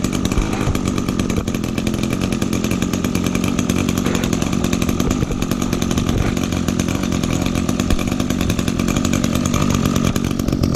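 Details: 2010 Echo SRM 225 two-stroke string trimmer, first run of 2019 after brief warm-up idle past initial bogging; fast, even buzz held at high revs, no bogging, surging or misfire; runs clean.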